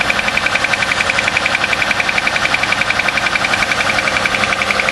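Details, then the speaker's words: Car's cold start at about 35°F after sitting overnight, running Castrol Edge Titanium with a quart of Lucas synthetic additive: sharp even ticking about four per second over quiet idle; owner hopes it's not a lifter, cause unconfirmed. "yeah you can really hear that hope it's not a freaking lifter or something that would really"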